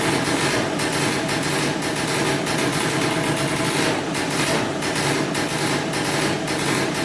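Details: 2003 Polaris Sportsman 90cc two-stroke ATV, first start after new piston, cylinder and oil pump, on about 40:1 premix for break-in, smoking a lot. Quick even idle with a steady buzz, no misses or knocks; normal idle.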